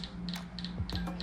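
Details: Shimano Di2 electronic rear derailleur: bright double click about three times a second over a steady low motor hum; servo gears suspected stripped or screws loose, not confirmed; derailleur replaced.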